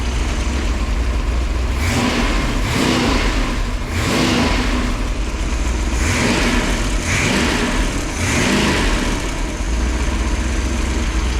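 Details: Freshly rebuilt 1968 Pontiac 400, high compression with small-valve heads, during break-in after fixing a failed cam swap and the wrong intake. About six clean throttle blips rise and fall crisply over a steady idle with no knocks or misses: normal revving.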